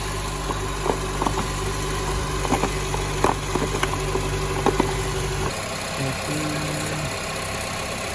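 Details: 2006 Honda Accord after a no-crank, no-start from a fuse blown by reversed jump-start cables; a temporary quick fix was made and the battery reconnected. Steady, even low idle with no knocks or misses, then it drops away near the end; healthy engine.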